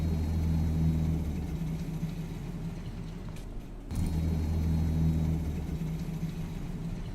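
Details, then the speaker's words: AHTR12 air conditioning unit recorded with the phone right next to it: steady low hum with a faint high-pitched whine that drops out and returns; owner suspects the whine is the compressor cycling and may be normal for this model. "it's just the high-pitched whining see in this video you can hear it go off and i think the wine is the compressor and in this video you can hear when the compressor i think stops then the wine stops"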